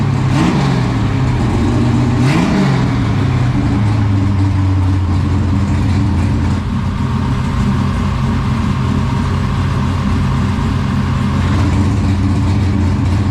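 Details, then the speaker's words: 1969 Camaro restomod, 496 big block first started in the car with new exhaust, previously broken in on a run stand: deep, loud V8 burble with clean blips, then a steady lumpy idle; normal idle and revs. "so we did fire it up today in the car for the first time we heard the exhaust it sounds amazing chris is extremely happy with it"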